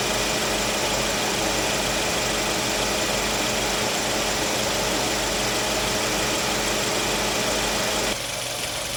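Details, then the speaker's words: Suzuki Swift, 110,994 km, after new condenser fan motor and compressor oil top-up: steady fan rush and compressor hum over idle, then clean cut-out; normal AC condenser fan and compressor cycling, cabin 5–7 °C. "ตัดพัดลมหยุดนะคะคอมทำงานพัดลมทำงานค่ะจนทำงานปกติอ่ะคะ"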